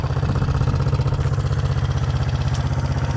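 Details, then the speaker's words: 1971 Honda CB350 twin, said by a previous owner to have low compression: quick, even thump-thump idle with both cylinders firing, no misses or clatter; compression sounds plenty, normal idle. "I took the spark plugs out, stuck my finger over it, had compression, and this sounds like it's got plenty of compression."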